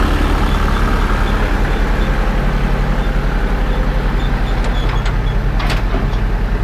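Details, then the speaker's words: International 51 forage (silage) wagon unloading behind a tractor; steady drone with a rhythmic pulse, then sharp cracking snaps near the end; leftover ear corn at one end of the box being chewed in the unloader. "Ah, haha, that's what that noise is. There's ears of corn still in here down at that one end. That's that noise."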